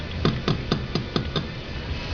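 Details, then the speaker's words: Refrigerator that makes a noise when it shuts off: about six hollow knocks, roughly four a second, as a part near the compressor mount is shaken by hand; looseness suspected, spacers under the mount considered. "okay here's my problem every time this refrigerator shuts off it makes a noise and if you take and shake"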